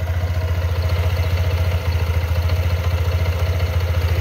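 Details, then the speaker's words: Scooter with about 2,964 km after two months of use, cold morning warm-up idle: deep uneven throb with a rough clattering knock three to four times a second; owner hears it from the CVT and is unsure whether it is normal. "ada suara klotok-klotok gitu loh guys dengerin ya"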